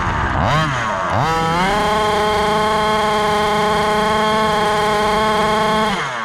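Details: Rovan Baja 5B gas-powered 1/5-scale buggy after a rebuild following a crash: the small two-stroke revs up quickly and holds a high, steady buzz without stumbles or misses. A successful, healthy test run.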